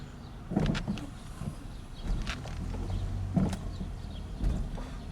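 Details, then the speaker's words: 2006 Chevrolet Cobalt SS backing slowly down the driveway: loose rattling clunks in bursts from the front end, car also feels unstable on the highway; worn front stabilizer links, replaced. "so a lot of rattling and uh my dad has also said that the car feels pretty unstable you know like on the highway and stuff and that's also a good um it's also a good indication that the stabilizer links are not working properly and they're worn out"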